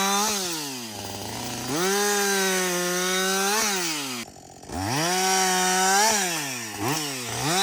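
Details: Husqvarna 562XP 60cc two-stroke chainsaw, reflashed by the dealer for dying when hot and failing to start, about two-thirds of a tank into bucking windfall: crisp high-pitched wail dipping in the cut and snapping back when freed, pulling evenly; normal running under load.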